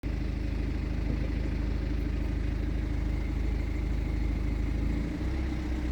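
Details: BMW 420d with B47 diesel, cold idle while warming up: low uneven rattle over the diesel clatter, clearly audible timing chain noise that becomes barely audible once oil temperature reaches 100 °C.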